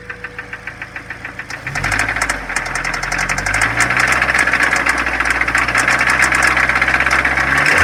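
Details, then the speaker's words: 2004 Mazda Miata, 125k miles, idling: fast, uneven metallic clicking about four a second, intermittent, no check engine light; owner suspects valves or worse after oil ran very low while parked; cause unconfirmed. "no check engine light very strange guys let me know what you guys think this is like sometimes there sometimes disappears sounds like metal"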